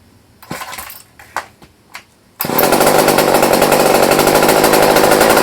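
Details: Old Craftsman chainsaw after years sitting, with new fuel line, rebuilt carburetor kit and new fuel filter, restarted unchoked after running minutes earlier (cooled); handling taps, catches right away, steady even high-pitched two-stroke buzz; running normally.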